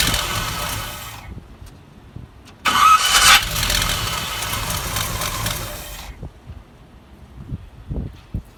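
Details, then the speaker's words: 1974 Chevy C10 with newer-style GM gear-reduction starter fitted for hot-start problem: brief harsh gritty whir that bogs and cuts out while cranking; owner thinks starter mounts too tight and needs more shimming, unconfirmed. "that is the sound of she needs some shimming uh they only give you the too thin usually there's affection when you've got a gm starter uh it sounds like it's too it is too tight"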